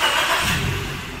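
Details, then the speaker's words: Maruti Suzuki Baleno petrol engine after fitting four new spark plugs for misfire, vibration, poor pickup and check light: starts and idles evenly, quiet, no misfire, rpm needle steady; check light still on. "हमारी गाड़ी अभी फिलहाल missing तो नहीं कर रही ठीक है लेकिन हमारा जो आरपीएम का काटा भी स्लो फास्ट होता था व भी बंद हो गया है"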